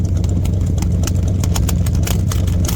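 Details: 1972 Chevy C20 V8 that sat unrunning for many years, misfire diagnosis at idle: deep idle with sharp uneven ticks and puffs at the tailpipe; dollar-bill test shows exhaust being sucked in, pointing to a sticking valve, possibly from gummy old oil.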